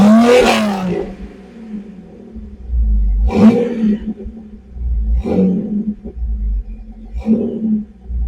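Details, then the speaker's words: After installing a new universal 2.25-inch catalytic converter and custom exhaust, O2 codes just cleared: three clean throttle blips fall back to a smooth even idle, deep full exhaust note, richer than before, no rattles or leaks. "definitely different kind actually much richer in sound let's go check it yeah definitely has a richer note"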